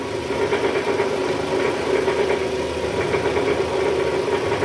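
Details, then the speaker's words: Toyota Estima 2AZ-FE at first start, AC on, in gear, throttle blipped: rough engine with a fast steady tak-tak tapping from the oil pan area, diagnosed as a worn balancer shaft. "Suaranya kasar, ada bunyi tak tak tak tak tak tak tak tak."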